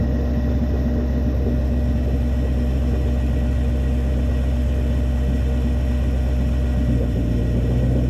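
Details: Toyota 1UZ-FE V8 with coil-on-plug on Link ECU, setting base timing: deep steady even idle, note shifting slightly as ignition timing locks to 10 degrees (from about 18), confirmed by timing light; normal healthy idle.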